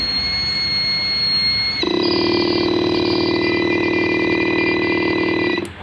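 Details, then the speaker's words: Electric sprayer tank: the pump hums and the spray is normal, but a shrill, pulsing squeal comes from the built-in low-battery buzzer. While it sounds, battery voltage is down to only 9.6 V. "Oke setelah saya teliti teliti ternyata memang ada buzzernya ya ini ini mas bro yang menimbulkan suara mic ya"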